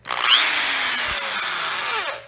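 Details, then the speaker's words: Makita electric drill with brushed universal motor with commutator spins up to a high, steady whirring pitch, holds evenly, then winds down; normal running. "a universal motor inside of it now I know this is universal motor because it runs in a much higher speed it has a commutator"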